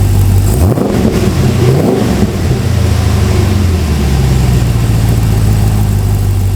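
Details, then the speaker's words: Ultima RS kit car with 6.2 L LS3 V8, freshly built, early start indoors, cold with thermostat not yet open and coolant not circulating; deep burble, quick rev blip, then even, steady idle with no misses: normal cold idle. "I'm just checking if the Water started to circulate I doubt if it has because no because the thermostat hasn't opened I really need to get up to temperature now"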